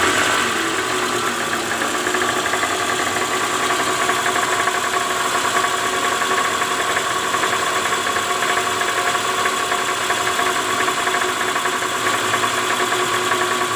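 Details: 2009 Toyota Alphard ANH20, 2AZ-FE engine, idling in neutral, heard from low near the oil pan: a coarse, rapid rattle that is worst at morning cold start and eases when warm. The balancer shaft is worn, with a loose No. 1 gear.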